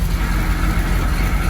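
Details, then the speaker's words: Triumph TR7 under restoration, engine running in first gear with wheels spinning off load and nobody in the car: steady low rumble, no regular knock; the rhythmic front-right knock appears only on the road under suspension load. "Well, that's it in first, and I cannot hear that regular noise."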